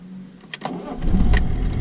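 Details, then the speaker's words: BMW E36 325 tds diesel starting after fitting a used scrapyard lift pump (fuel pre-pump), before warm-up, glow preheat used: short crank, catches within about a second, settles to firm even idle; it starts cleanly. "Bon, Putain, mais elle a bien démarré. Je vais attendre qu'elle chauffe."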